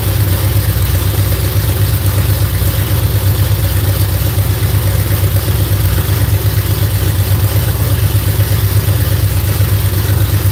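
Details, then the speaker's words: V8 just started after cranking to build oil pressure: deep, lumpy idle with a faint, uneven tapping of roughly 160 a minute. Owner suspects a bound-up rocker arm; not confirmed. "them rocker arms. One more time. Sound like I got one bound up."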